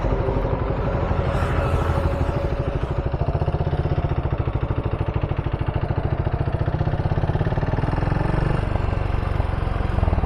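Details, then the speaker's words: Motorcycle whose engine cut out at about 75–90 km/h in 4th gear, restarted, ridden at steady low speed: fast even pulsing beat with clattery edge; abnormal engine noise, rider wonders if burning oil; cause unclear. "ಏನಾಯ್ತು ಗುರು ಗಾಡಿ, ಏನೋ sound ಬರ್ತೈತೆ."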